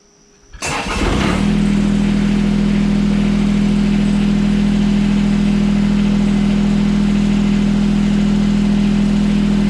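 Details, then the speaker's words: John Deere 455 lawn tractor, engine already warm: cranks briefly, catches within a second and settles to a smooth, steady idle with no knocks or misses; healthy engine, rattles less than another 455. "like I said runs really nice I'm overall happy with the purchase this thing actually rattles less than my my current 455"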